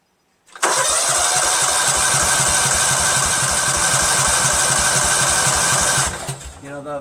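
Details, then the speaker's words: Cub Cadet tractor, 13 hp Kohler Command CH13 horizontal-shaft engine, fresh fuel just added after installing a new mechanical fuel pump: steady starter whir with even compression chugs, about four per second, for five seconds without catching; extended crank, no start. "it's gonna crank a while because it needs time for the gas that we sucked up you know"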